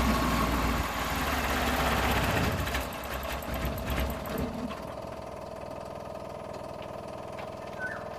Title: GANITO PAG ENGINE HARD START sa UMAGA Suzuki F6a Multicab